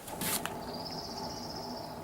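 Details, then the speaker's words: Go-kart with Honda GX160 engine, front wheel spun by hand: thin high whir with rattly, rough gritty undertone as it coasts; worn front wheel bearings, four new ones ordered. "quite noisy I think you can hear that they spin but they're they're rattly and rough so they've ordered four new bearings for the front wheels"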